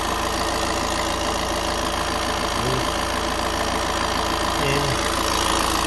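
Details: 2016-17 VW Transporter T6 2.0 diesel just after full service and fuel filter bleeding: even diesel clatter at steady idle, about three and a half ticks a second, no misses; healthy normal idle.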